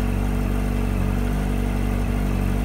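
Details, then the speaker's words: 2004 Yamaha R1 at 31,000 km with an error code and some oil use, idling: smooth, steady hum with no deep bearing knock. A tick appears only when revved; owner suspects the tensioner. "Definitely don't hear a bearing knock."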